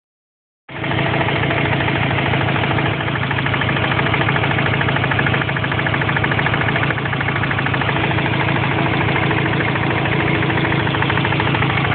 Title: Impreza engine knocking